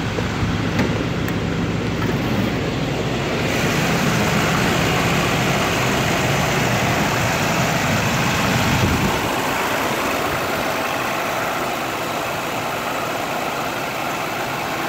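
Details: 1984 Cadillac Eldorado Biarritz, cold start with the hood open in a warehouse: steady, even idle with a smooth low hum and no knocks or misses; engine settling into a healthy idle.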